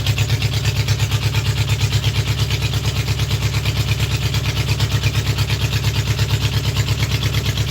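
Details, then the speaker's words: Trike ridden from Louisiana to Tennessee before the knocking started, at idle: a steady idle with an even, pronounced knock about twice a second running through it; the source is unknown. "that's what we took from Louisiana and drove it all the way up here to Tennessee before you hear that knocking until it started knocking"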